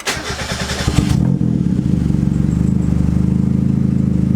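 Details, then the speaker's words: Turbo Mazda Miata after reconnecting the MAP sensor vacuum line; cranks, fires and settles to a fairly steady idle, slightly lumpy while the ECU auto-tunes at idle. Idle later fixed by adding fuel in the VE table. Normal idle. "sounds a bit better. And that definitely looks a bit better. Oh, it's auto tuning right now, so at my idle."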